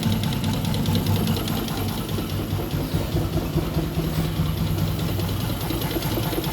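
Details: Newly bought Yamaha Jupiter MX (non-clutch) idling with a loose, uneven knock of about two to three beats a second. Grey oil makes the owner suspect coolant in the oil; the source is unclear.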